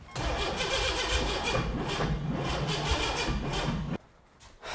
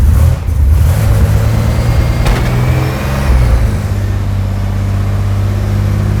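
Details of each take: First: Rebuilt junkyard turbo 4.3 V6 in an AWD S10: steady cranking about four turns a second for four seconds without catching; ignition timing was off, later fixed and set to 10°. Cranking, no start. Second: Junkyard 4.3 V6 (turbo, AWD S10 build) freshly rebuilt after cylinder damage, first firing after timing corrections, timing at 10°: settles into a steady, even run and picks up cleanly on throttle, no misfire or knock.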